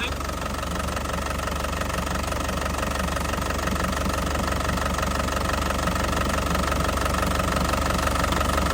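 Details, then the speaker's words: 2012 Isuzu Panther Grand Touring diesel, original, low km, engine warm, oil cap and dipstick out with no smoke: even clatter at a steady idle, no odd noises or shaking, characteristic Panther sound; healthy warm idle. "Nah suaranya masih enak banget ya Nah suaranya masih enak banget masih Ci khasnya ya masih Ci khasnya penter tidak ada suarauara aneh ya"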